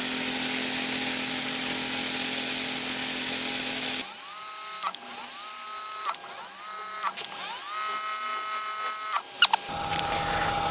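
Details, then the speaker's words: Ryobi 40V pressure washer after repair, on-demand pump: loud cooling-fan hiss cuts off, then pump whirs up in rising tones and cuts out several times, cycling on demand like a 120 V unit; normal operation. "that's very interesting it's it's an on demand pump if you can hear that noise it's just a fan cooling things down but it Cycles on and off much like my 120 volt one see it ramp"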